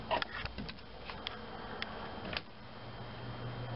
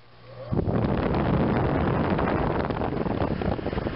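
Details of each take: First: 115 V fan motor in an RV air conditioner on a 2006 Fleetwood folding camper, on low fan: steady electrical hum with light clicks but no spin-up, would trip the breaker; it starts when pushed with a screwdriver; failed start capacitor. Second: RV rooftop air conditioner (Recreational Vehicle Products) on a 2006 Fleetwood folding camper, after replacing the 115V fan motor's start capacitor, tested on low and high: steady rushing airflow with an even fan roar, no humming stall. Running normally.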